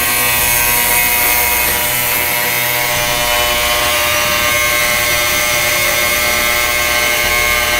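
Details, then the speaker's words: Yescom 6L stainless steel commercial ultrasonic cleaner, new, just switched on with heat (21°C, aiming about 60°C) for 30 minutes: loud harsh high-pitched buzz with rattle, unit vibrating; owner wonders if it's supposed to sound like that, cause not identified. "Wow, that buzzes a lot. Okay, really makes a racket. Listen to that. I wonder if it's supposed to sound like that. That is terrible."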